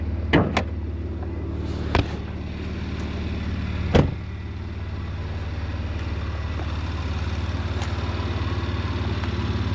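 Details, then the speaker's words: Porsche Macan just started and cold, known to make a tea-kettle hiss from PCV valves once warm: door clunks then smooth steady idle with no hiss or whistle; normal cold idle, noise barely audible until warmed up. "So right at the moment, I just turned it on and it's cold. It's not really doing it. You can hardly hear it."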